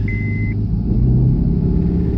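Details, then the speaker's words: 2008 Honda Civic Hybrid while driving, just after a new driver-side transmission mount: deep low rumble under road noise that comes and goes, worst on the straight, with a short beep early on; cause unknown. Intermittent rumble while driving. "hear the rumbling real bad and then goes away goes away Rumble here we go on the straight part real bad goes away bad goes away how do I make this noise stop"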